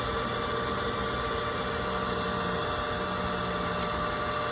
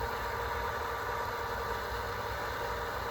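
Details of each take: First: Pump refilling a drained, waterlogged holding tank after pressure switch refit with new Teflon tape: constant motor hum with steady high tones, no cycling or cut-off; owner waits for shutoff, worried the pump is getting hot. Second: Well pump filling a drained, waterlogged holding tank after priming, line to house kept off, gauge not yet reading: quiet steady hum with even faint whir, no surging or chatter, normal running.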